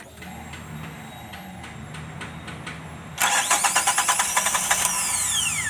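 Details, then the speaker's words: Suzuki F6A fuel-injected engine, first start after installing distributor cap and bleeding (overheating issue), timing light fitted: quiet ticking, then about three seconds of loud rapid starter whirring, engine slow to catch; hard start. "Medyo hard start siya. Sige, ulit."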